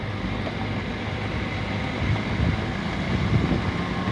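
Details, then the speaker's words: 2003/2004 Toyota Corolla driving over rough pavement after caliper pins greased and new front pads: only even road rumble, front wheel knocking gone; brakes and suspension quiet. "O barulho da roda, no caso, acabou."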